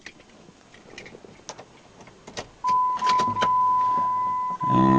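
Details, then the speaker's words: 2004 Jeep Cherokee, after replacing the sunroof motor with a $25 junkyard unit, headliner refitted, key on: clean, steady motor hum for about two seconds, no grinding or clicking; full function without calibration. "can see here we now have full function didn't even need to calibrate the motor"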